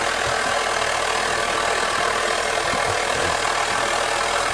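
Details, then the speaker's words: Overhauled Svea 123 white gas stove (not 123R), turned up to roar more: steady, even rushing roar with no sputter or surging; clean, healthy burn. "let's um let's turn it out and see if it it does Roar a bit more I think yes you guys sounds like an air but"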